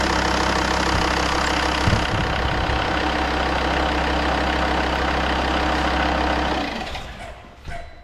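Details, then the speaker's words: Volvo XC90 D5 diesel, first start after timing belt and water pump replacement and coolant refill: catches and holds a steady, even idle several seconds before shutoff, no belt whine or tapping; sounds perfect. Normal idle. "sounds perfect"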